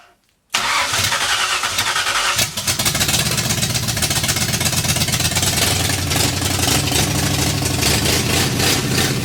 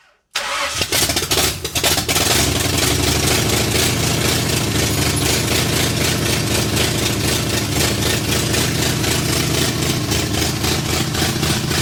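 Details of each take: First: 1964 Ford F100 with a salvaged 302 V8 and big full-roller cam, in park, revived after decades off the road; cranks and catches within a second, settles into a steady even beat with no knocks, then runs out of fuel; starts and runs fine. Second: 1964 Ford F100, salvaged 302 V8 with a full-roller cam of 900-something lift, in park, first runs after decades off the road; loud choppy loping idle about three pulses a second; owner suspects the big cam; dies from lost ignition power.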